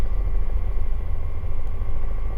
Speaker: Really hear any change? Yeah, you're probably right at about 101, 102.